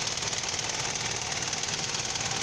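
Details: Car with vacuum-operated AC idle-up: fast, even ticking over a steady idle, no dips or surges; engine holding a stable idle.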